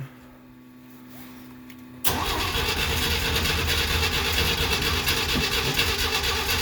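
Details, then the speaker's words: 1969 Jeep Willys CJ5 sitting about 7 months over winter, battery recharged and jumped, choke partly on: cold start with a long steady crank at about three compression beats a second that never catches. "Get a whole lot of cranking. There, we got power now. Is the choke on? Yeah, I'm gonna push it in a little bit. The cranky cold start."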